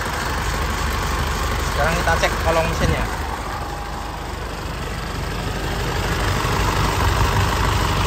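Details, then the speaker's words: 2004 Isuzu Panther LS Black Panther diesel, first owner, steady smooth low idle with even beat, no knocks or misses; engine healthy, no oil seepage, though an aged fan belt makes a "srek" sound and may need replacing. "Ini kalau suara mesinnya alhamdulillah masih halus ya."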